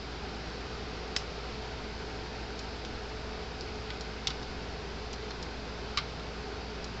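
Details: Gallagher M-series fence charger, almost 10 years old, in for repair with a burned-out green bulb: sharp single ticks every second or two over quiet room hiss; pulsing normally, tester reads 7.2.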